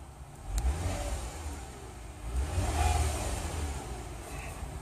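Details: 2007 Toyota Camry V6 2GR-FE, over 170,000 miles, after new OEM Denso fuel pump: engine starts and revs cleanly, pitch rising and falling smoothly without stumble or hesitation, sounding healthy.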